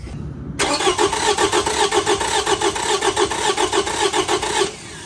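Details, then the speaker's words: V6 engine with a spark plug pulled to simulate a no-compression cylinder, like a broken valve spring or holed piston: starter cranks about four seconds with an uneven galloping rhythm, shown by oscilloscope relative compression test. "if you had one that say had a uh a broken valve spring or a hole in the Piston or something for some reason you don't have compression and you can hear it too like you can hear that kind of a Gallop"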